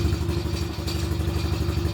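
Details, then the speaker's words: Quad that sat almost a year, with the choke just turned off: a low, lumpy idle sags and wavers like it wants to die; the owner thinks his earlier carburetor adjustment is out and the rpm must come up. "It's still sounding pretty shittily, like it wants to die. So this might need some adjusting, because I think I may have been pissing around on the adjusting."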